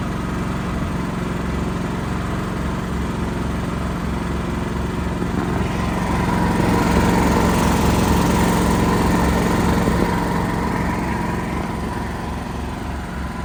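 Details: Backup generator running under light load during monthly life-safety test, steady even drone with constant hum, no misses, knocks or hunting; normal healthy running.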